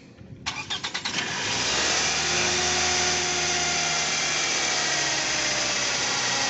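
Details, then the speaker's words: Toyota Camry after balancer shaft replacement, carbon cleaning and throttle body cleaning: about six quick starter turns, clean catch, even fast idle above 1000 RPM (idle not reset), earlier clunking gone; possible noise from starter/flywheel area to check. "Dia udah nggak bunyi klotok gitu, cuman ada potensi bunyi dari area si dinamo starter dan transmisi flywheel maticnya ya."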